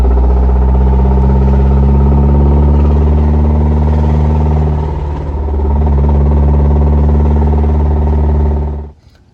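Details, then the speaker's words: Car started after a hard drive and race, rough idle with a steady low throb about three pulses a second and a repeating knock underneath; owner identifies rod knock, bottom-end problem. "i started up i'm like i know what that sounds like i know what that sounds like hashtag rodnock baby that's what i'm talking about okay uh yeah so it was rod knocking"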